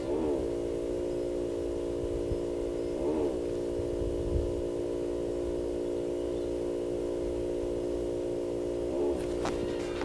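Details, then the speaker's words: 2020 Range Rover Evoque parked: steady low hum with a groaning tone that swells and settles every few seconds, constantly present; source not identified. "The car seems to constantly make this weird humming and groaning sound."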